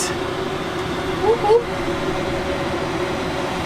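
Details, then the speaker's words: Lavaner Pro 5kW Chinese diesel heater in a campervan, just lit after about 25 minutes of priming cycles: a steady soft roar and airflow hum, even and unbroken, with no popping or surging; burning and running normally. "I hear the dull sounds of fire, maybe, starting. Familiar smell. Diesel-y heating."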